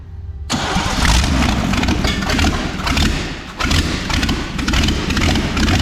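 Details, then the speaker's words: 1984 Chevy C20 V8 revived after years in storage, distributor just reinstalled, no exhaust manifolds fitted: short crank, then a loud, raspy, uneven idle with sharp popping straight from the exhaust ports; run only briefly. "All right, we got it to fire up. We didn't let it run too long cuz it doesn't have exhaust manifolds on that."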